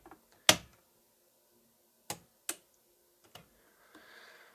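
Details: Telefunken Operette 6 radio power switch after repair: a few crisp single clicks in a quiet room, each press snapping cleanly home. Pressed fully down, even slowly, the switch now closes properly; normal switch operation.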